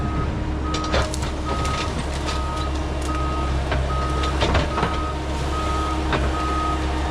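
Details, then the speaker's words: Mecalac 6MCR excavator backing up: reversing alarm beeps over diesel while sharp pops recur from loose, unadjusted track nearly derailing on the sprocket; owner links this to the cab side window shattering. "That pop you just heard was the track nearly derailing, and I was in such a hurry I needed to get back that I had been ignoring it. I knew I needed to tighten my track."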